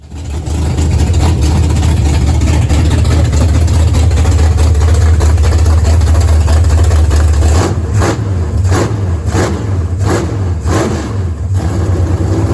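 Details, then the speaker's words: Unknown big-block V8 swapped into a Camaro, replacing the small block: deep loping idle with an uneven beat, then sharp throttle blips; runs, and owner thinks it may have a little cam. "We put it in there and started, and it does run. I said, it sounds like it has a little bit of cam in it, maybe."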